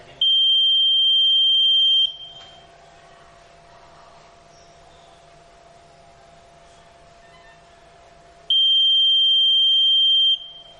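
Two long, steady high-pitched beeps about two seconds each, six seconds apart, as each candidate's result is shown.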